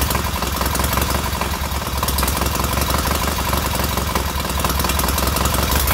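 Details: Newly rebuilt K750 twin engine idling after ignition fault fixed; steady even low thump from both cylinders, warming equally, no misses or knocks, runs smooth.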